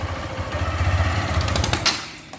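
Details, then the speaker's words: Motorcycle single-cylinder engine losing compression when pulling away: revving brings sharp crackling snaps like an exhaust leak and the bike goes weak; the cause is the head gasket leaking from loose studs. "vocês viram escutaram fazendo como se estivesse escapando na boca de fogo mas não é"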